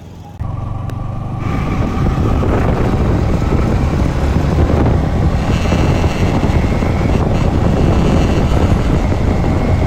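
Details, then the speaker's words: Yamaha MT-15 motorcycle revved up and held high: harsh buzzing rattle over the exhaust roar that starts only once rpm reaches about 5,000–6,000; cause undiagnosed, warranty check by service centre pending. "तो देखा आप लोगों ने वो sound जो आप लोगों को सुनाई दे रहा है व किरकिर करके जो साउंड उसमें बन रहा है वो तभी बन रहा है जब आरपीएम फाइ पर टच हो रहा है"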